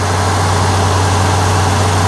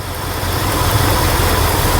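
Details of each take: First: 1968 Ford F100 360ci V8 after replacing cracked spark plugs with Autolite 45s: smooth even low idle with steady pulse, earlier ticking/spark-jumping sound from the boot gone; fires right up, idles cleanly. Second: 1968 Ford F100, 360ci V8, idling after running a minute: a steady rumble with a faint, sharp snapping tick as a cracked spark plug insulator lets the spark arc from inside the boot.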